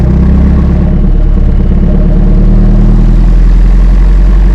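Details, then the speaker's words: 2018 BMW 430i Gran Coupe (F36) with modified B48 four-cylinder, already warm: a deep, loud, steady idle pulsing about three times a second with no knocks or misses. A healthy engine with a sporty exhaust. "Yeah man so right now that's what it sounds like um she sounds good man she sounds really really really good especially for a four banger I didn't expect to sound like that to be honest with you"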